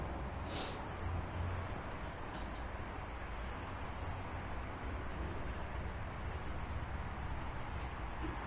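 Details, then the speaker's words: Old outboard motor running in water after starting: low, steady, smooth rumble with no surging, misses or rattles; running sweetly. "until it actually was running I wasn't I wasn't saying yay or nay you know until I heard it now it's running it's sweet sounds good"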